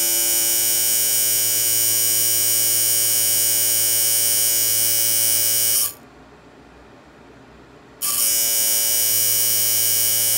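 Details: Early-1930s Simplex Model PB radio, mechanical synchronous vibrator power supply after its stuck contacts were cleaned, run unloaded: a steady, harsh electric buzz, briefly stopping and restarting with a click, seemingly working.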